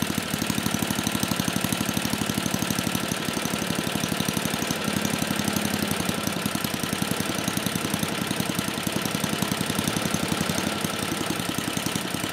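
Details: 34-year-old Tecumseh H30-35387Y single on a Troy-Bilt Tuffy tiller, after a no-compression repair; quick even firing with no misses or knocks at fast idle while the new clone carburetor is tuned; runs cleanly.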